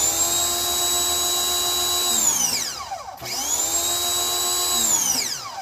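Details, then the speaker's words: Ryobi 2000 PSI electric pressure washer: steady high whine winds down in a falling sweep on each trigger release, twice; the crud-filled sprayer is identified as the problem. "There you go. Okay. It's off when the handle is released. When you squeeze the handle."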